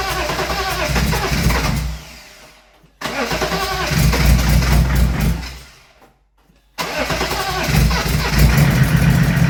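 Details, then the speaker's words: Replacement BMW M57 diesel in a BMW E36 Compact, first start after the swap, leak-off pipe now connected, no intercooler pipes or radiator, not revved: cranks, catches twice, then a steady, even low idle with no knocks or misses; sounds healthy. "Alright, as you see, it starts, sounds alright."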